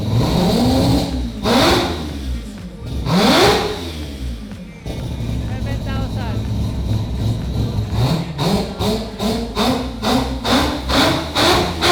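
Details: Mazda FD RX7 with 26B four-rotor engine, just started after fixing a no-fuel-pressure problem: loud rotary blips climbing sharply in pitch and dropping back, then quick even revs, crisp; normal revving.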